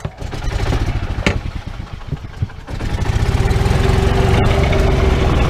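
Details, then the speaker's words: Yamaha golf cart after broken throttle cable replacement: single-cylinder putter with rapid, even firing climbing steadily as it pulls away in reverse; runs clean with no misses. "going, we're driving again. So that's it. That's all she needed was to have that fixed."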